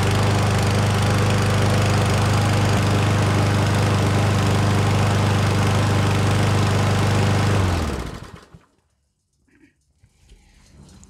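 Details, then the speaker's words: Certified self-propelled push mower after a carburetor clean, fresh oil and fuel: steady, even single-cylinder drone with no misses or surging, then a clean shutoff and no leaks; normal running after repair. "right so she's running like a top I don't see any leaks at all out of the oil dipstick there"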